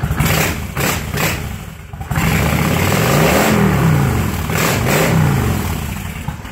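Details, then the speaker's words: 1996 Kawasaki Vulcan 1500 Classic: deep, lumpy V-twin burble that swells cleanly through several throttle blips and settles back; strong, healthy revving. "sounds amazing I love hopping on this bag"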